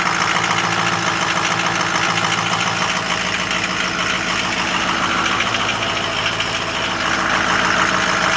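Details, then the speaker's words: 2007 Ford F250 6.0 diesel at cold start after glow plugs heated, a little smoke at startup, fluids checked; cold idle with steady busy clatter and even rhythm, no misses or knocks, normal for this engine. "that sounds pretty good for as cold as she is I checked all the fluids first we're good"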